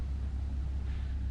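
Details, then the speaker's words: Newly built Plexi 18 valve guitar amp, first bench startup, switched from load to speaker: low steady mains hum with faint hiss, no crackle or popping; no unusual noises, healthy. "Okay, we're currently on our load, so if I go to speaker, I should be listening out for any unusual noises. Nope."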